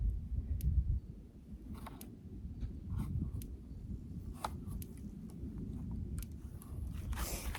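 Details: Country Way electric fence charger for a pig paddock, cord connected to one wire: faint sharp ticks about one a second over a quiet room, clicking shows the energizer is pulsing normally.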